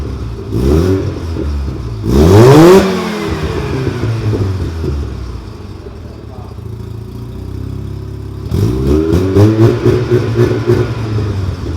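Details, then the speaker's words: Mazda RX-7 rotary after new parts replaced the straight pipe: two revs climb and fall smoothly with a subdued, buzzy drone and no rasp; exhaust now much quieter, muffled. "So as you can hear, the car is much quieter, and I know most people want to make their cars louder, but that was honestly unbearable."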